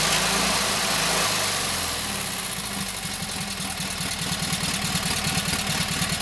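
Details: Kohler KT17 twin, first start after governor rebuild: catches and settles into steady, fairly even putter about three beats a second. Oil pressure 50, governor works, timing good; carburetor needs tweaking, plugs doubtful.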